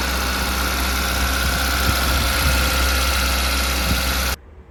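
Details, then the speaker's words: 2008 Maruti WagonR, 320,000 km, company-fitted LPG: revs rise sharply right from starting, fast, slightly hunting idle; no engine warning lamp; unplugging the ISC valve coupler does not change it; high idle from sticking idle speed control valve. "ആ WagonR സ്റ്റാർട്ടിങ്ങിൽ തന്നെ ഭയങ്കര rising ആവുകയാണ് കേട്ടോ RPM വല്ലാതെ കൂടുകയാണ്"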